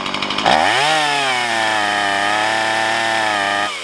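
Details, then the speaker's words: Stihl MS170 chainsaw upgraded with aftermarket parts, test run with no gasket between the carb and air filter housing: revs hard to a high, buzzy full-throttle scream that sounds off, mixture suspected lean or rich; uneven running at full throttle. "Okay, that's not good. That sounds like it's lean. Or maybe rich, I don't know."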